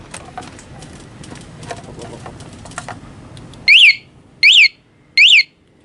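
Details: Honda Beat FI ESF 2019 with newly installed remote alarm (pink wire to pulser wire near throttle body), armed and bike shaken: rattling, then loud rising electronic chirps about eighty a minute. Alarm triggered on movement as it should.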